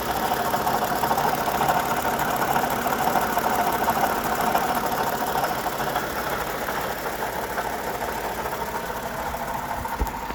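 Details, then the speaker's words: Lexus RX350 V6 idling with a light, fairly steady rattle, most audible at low speed with the window down; loudest at the front engine bracket via screwdriver stethoscope, traced to a worn water pump bearing. "so my wife's RX over here has started making a funny noise and heard it first in a Drive-Thru with the window down uh can't really hear it driving down the road but you know we'll figure out what's going on with it"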